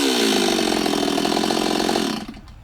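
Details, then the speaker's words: Stihl 026 chainsaw with low compression, 18-inch bar and chain, test cut in hot weather: it screams at high revs, then the pitch sags and drops off quickly in the cut; lazy engine with little power, cause not confirmed. "yeah she's a little lazy"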